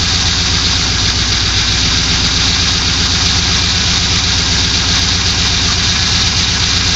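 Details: 2002 Pontiac Trans Am LS1 V8 just after an engine rebuild, steady idle with a fast, regular tapping over the engine note at every turn; knock at idle, cause not yet known.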